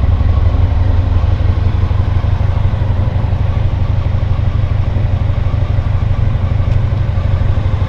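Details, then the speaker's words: 2000 Honda VFR800 fuel-injected, restricted, first start after six months' storage on old fuel: lumpy uneven idle with a gap in the firing rhythm, one cylinder dead and its exhaust pipe stone cold, running on three cylinders. "В общем, один цилиндр не работает совсем. Труба абсолютно холодная. Катился немножко на трех цилиндрах."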